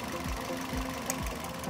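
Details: Toyota Yaris (Bakpao) four-cylinder, one coil per cylinder, idling lumpy and shaking with a thump about twice a second; testing coils by lifting each, number 2 coil is dead and a replacement is ready.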